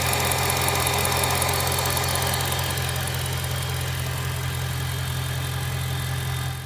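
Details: BMW M3 E92 V8, November 2008, 88,000 km, mostly city driving: steady idle with quick, fairly even ticking about three a second; exhaust manifold leak, not conrod bearing knock.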